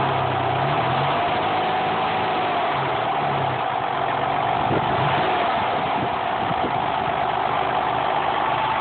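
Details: Mercury Cougar 2.5 V6, automatic: steady idle with a faint wavering mid-pitched tone and irregular rough pulses over it; weird engine noise, cause unknown.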